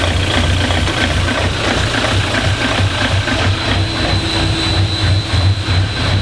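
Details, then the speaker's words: Diesel in a DervBus project, idling; timing light shows stable timing with marks in line, ECU in sync with engine; steady idle with even pulse about ninety a minute under music — normal idle. "the timing is stable so that is a good sign it means everything's working as I expected it to and the e you is in sync with the engine"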